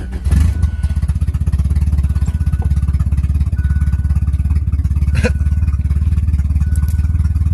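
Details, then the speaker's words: Turbo car on a DIYPNP ECU, untuned, idle air control valve and coolant temperature sensor not yet calibrated, right after a cold start: uneven, loping, Harley-like lumpy idle that won't idle up at first; rough idle. "like a Harley yep-yep-yep yep-yep-yep kind of wanted to idle up there for a second she does not like the cold start"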